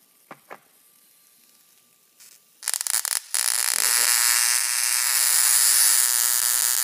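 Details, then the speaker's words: Single 2N3055 transistor flyback driver on heat sink with mica pad, UF4007 protection diodes: quiet until switch-on, then loud steady harsh buzz with crackling arc over an inch long; normal operation. "So here we go. We flip the switch. There you go. You can hear it sort of humming."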